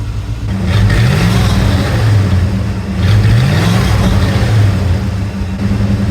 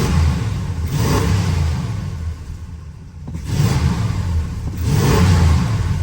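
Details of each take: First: 1979 Chrysler 300 V8, lumpy idle with a few light revs after an exhaust leak and muffler were fixed: dull knock from the old exhaust hitting the floor pan, stopping when revved. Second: 1979 Chrysler 300 after Thermoquad carburetor rebuild: engine picks up crisply through deep rev blips and settles without stumble or miss; runs well now, though it doesn't cold idle the best.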